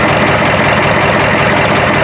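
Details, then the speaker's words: 1993 Ford F-250 7.3 IDI non-turbo diesel, 242,824 miles, with a makeshift modified muffler: loud, steady idle with even clatter, no misses or surging, no smoke; sounds better, running smoothly. "That sounds a lot better."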